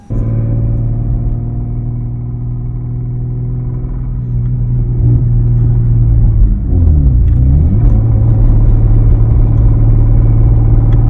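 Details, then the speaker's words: Lexus IS300 petrol engine, bought used, idling warm with a deep rumble and a dull, loosely regular knock; traction light flashing from a random misfire; rod knock suspected. "as you guys heard in the video it's it's knocking"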